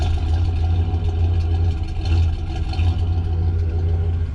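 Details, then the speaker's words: 1993 GMC 1500 after sitting 10 years, started without its own battery on a makeshift fuel system: low, heavy V8 idle surging and dipping about every second; runs rough, cause not evident. "We just need a battery and it's running. It's not too happy about life,"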